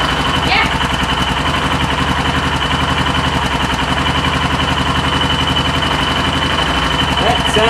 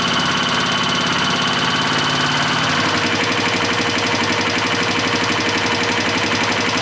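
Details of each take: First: 2004 Yamaha Kodiak 400 after top-end rebuild, warm, exhaust and intake valve lash just tightened slightly after sounding slappy: steady single-cylinder putt, about 220 beats a minute, no tapping. Clean, even idle. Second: 2004 Yamaha Kodiak 400 ATV after total top-end rebuild, warm after a full heat cycle: fast, even ticking over the idle in time with the engine, valves slapping from loose lash.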